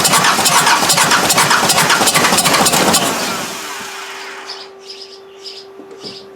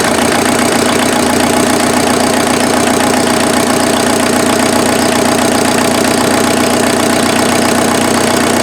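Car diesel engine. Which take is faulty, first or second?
first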